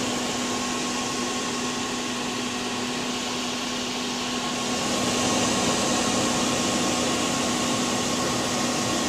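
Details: PowerMac G5 (A1093, single-core 1.8 GHz) won't start: loud steady fan roar with a constant hum and whistle, no rise or fall, never boots; cause was RAM banks not filled in pairs, and it ran again once corrected.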